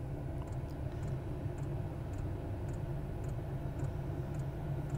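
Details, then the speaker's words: Chinese diesel heater installed in a Toyota Tundra camper top, starting up: steady low combustion roar with an even fuel pump tick about twice a second, speeding up as it burns diesel; warm air coming out, normal operation. "you can hear hear it firing up now that fuel pump will pick up speed as it starts to burn the diesel we got air coming out now and it's getting warm"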